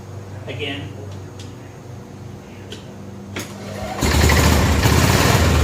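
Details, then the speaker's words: Barn-find 1988 Club Car golf cart with 8.5 hp Kawasaki single-cylinder: a few seconds of cranking, then it fires and holds a steady, even chug; runs clean and healthy. "all right well a success it's got to be a success because it runs that it sounds good"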